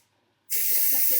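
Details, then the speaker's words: Pressure King Pro pressure cooker at the end of its first clean cycle, with the valve set to open to release excess pressure: a sudden, steady loud hiss holding evenly. Normal steam release. "So I'll release the steam and then I'll be back. Okay, so the PKP is almost finished. It's just letting out that excess bit of pressure."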